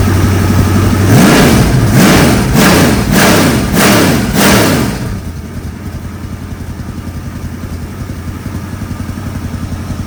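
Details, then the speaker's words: 1964 Galaxie engine on a run stand, after refitting the carburetor and getting oil pressure working: several sharp throttle blips then an even steady idle; engine runs clean and healthy. "Sounds like a good one."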